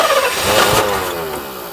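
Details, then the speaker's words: 1984 Mercedes 500 SEL AMG, sitting 27 years, starting on its own fuel system after the mixture was richened one full turn: fires and briefly picks up, then revs sag and die within two seconds; won't keep running. "oh it wants to go all right we'll give it one more go ahead [Music] try again [Laughter] and it dies"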